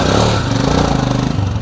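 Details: Royal Enfield Himalayan being checked by a mechanic for timing chain noise: single-cylinder thump rises and settles with the throttle, even firing beat, no rattle from the timing side; normal running.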